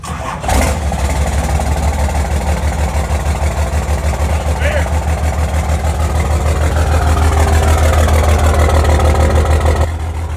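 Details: First-gen Cummins diesel truck, first start in about 2.5–3 months after cold-weather sitting, air-locked fuel bled, fuel leak noted: even steady idle with firm low rumble about three beats a second, settling smoothly.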